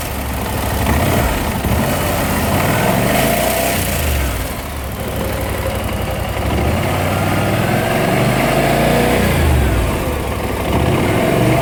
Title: Bmw C600 timing chain Noise